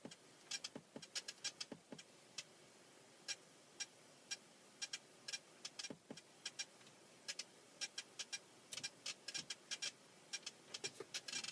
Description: my dice duo interface is making a ticking sound